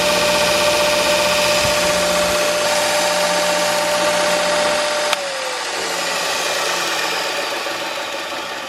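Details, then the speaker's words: Brand-new Jet 2x42 belt sander just unboxed (a replacement unit): steady motor whine with a regular thrum, then spin-down. The sanding disc visibly wobbles, so the disc is warped. "this is the new machine that I just took out of the box and this is the sanding disc and watch what it does"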